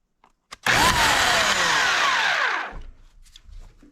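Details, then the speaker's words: Oregon CS1500 120V electric chainsaw after the armature was repaired with quick-set steel epoxy: the motor spins up with a smooth, clean, steady whine and coasts down quietly without rattle or grind; it sounds normal now. "sounds like a normal one now"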